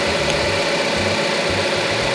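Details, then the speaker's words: 2010 Dodge Avenger 2.4L four-cylinder, after replacing alternator and serpentine belt: even idle with a steady hum and light whirr on top, no knocks, squeals, shaking or vibration; runs normally. "Oh, listen to that baby purr. Everything looks like it's back together. Nothing shaking, vibrating, shimmying."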